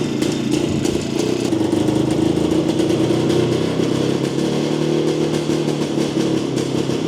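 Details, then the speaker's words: Jawa 250 two-stroke after engine teardown and repair, following heavy post-dyno smoking: uneven, burbling idle with clatter, still smoking some; hesitates on throttle, commenters and owner suspect carburettor out of tune. "Usampikin kommentoi, että ei kuulosta olevan säädössä ja itsekin oon kyllä samaa mieltä"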